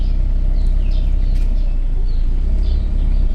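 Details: Chevrolet Cobalt that overheated with fan running nonstop, after cheap thermostat repair, temperature cycling about 90-98°C: even low engine rumble with fan running, no knocks or squeals, birds outside; healthy.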